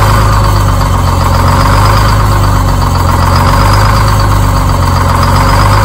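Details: Detroit Diesel 6-71 two-stroke diesel, started after a spray of starting fluid: deep, steady idle with an even low rumble and no misfire or knock. It's running healthy now.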